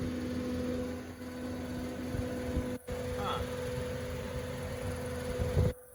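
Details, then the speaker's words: Walk-in cooler fan motor, cooling again after leak detection. A steady low hum with a rough, shaky vibration; the motor is definitely not running up to speed, possibly due to its bearings. Not confirmed. "up so we're cooling you can hear this sounds terrible so there's a vibration you know whether that's the bearings of the motor because again this this motor is definitely not running to speed"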